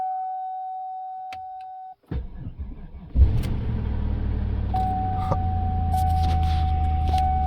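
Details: 1999 Cadillac DeVille, first start since early February after a subframe swap with mufflers refitted: a steady chime, a brief crank, then an even smooth idle; normal start and idle.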